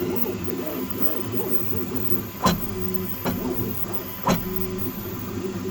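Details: Creality K1 Max 3D printer during Z-axis movement: warbling stepper whine broken by three sharp bangs about a second apart; banging noise, cause unknown.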